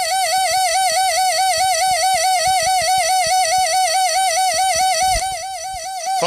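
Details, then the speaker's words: Mercedes 600SL V12 early throttle body motor, bench-spun after tapping: loud high screech with a steady wobble about twice a second; worn end sleeve bushings, no axial play, quiets when sprayed; planned fix is rebuilding sleeves and readjusting gear height. "now I'm going to spray some of this stuff at the end bearing quiet so the sleeves sleeves are messed up"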